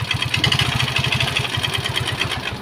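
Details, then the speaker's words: Yamaha Xeon GT 125cc scooter, engine overhauled twice in one year with imitation (KW) spare parts: harsh, clattery idle with fast uneven ticking over a lumpy low beat; damaged piston and valvetrain parts. "ini suaranya begitu kasar ya itu telinga Saya mau dengar itu apanya itu Nabi Isa sama sekali lagi ini saking kacaunya"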